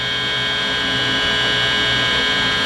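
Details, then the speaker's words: Guitar under repair, jack plate off, with the red lead on positive and the black on negative, plugged into an amp; the buzz is horrible when touched. Loud steady mains hum with a sharp high buzz; amplifier hum, cause not yet found. "Now we're gonna turn the amp on and see if we get any kind of buzz or feedback."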